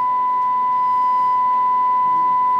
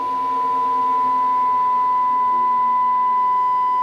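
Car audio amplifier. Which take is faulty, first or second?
second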